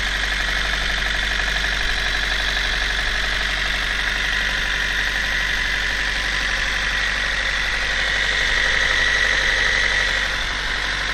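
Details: Toyota 1ZZ-FE engine at steady idle with a regular knock about four times a second, in time with the engine; internal knock, source not pinned down.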